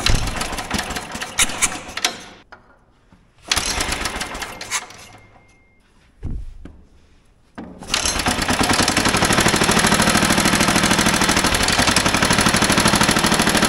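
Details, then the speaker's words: Old motorized dumper engine with idle turned up half a turn: fires and sputters a couple seconds, dies twice, then chugs unevenly; fuel confirmed reaching carburetor, clogged carburetor suspected of starving it, needs removal and cleaning. "yeah we must have something clogging up in the carburetor cuz I don't think we're pulling enough fuel carburetor got to come off dang it I thought we might get lucky this time"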